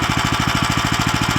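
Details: New Lifan LF390QE Pro (heavy duty, GX390-type) petrol engine on a flail mower, rubber-mounted, started on choke with booster pack on a cold day: even rapid single-cylinder beat at steady speed, no knocks, misses or rattles; healthy.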